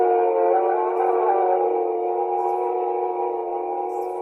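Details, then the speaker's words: Mayfair Model 200 four-transistor 1960s tape recorder playing music: pitch slowly wavering up and down, wow and flutter from imperfect reels, old tape medium and worn rubber. "so there you have a comparison the the high wild flutter and lower wire flutter you can still hear the pitch rising up and down in the music in particular and that's the nature of imperfect reels old old tape medium"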